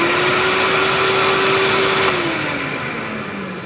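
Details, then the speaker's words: Rainbow E2 1-Speed vacuum (early E2 series): high steady motor whine holds level, then drops smoothly in pitch and fades on coast-down, no grinding or rattle; normal, healthy wind-down. "And of course, it sounds good too. The startup and the wind down, it's not that bad. I've heard a lot worse, to be sure."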